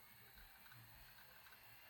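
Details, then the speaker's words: Toshiba Satellite 2595CDS laptop booting, old IDE hard drive: faint quick ratcheting head-seek clicks over a low hum. Normal hard drive seek noise; the drive is probably good. "hear the hard drive in there. So hard drive is probably good. Old ID hard drive."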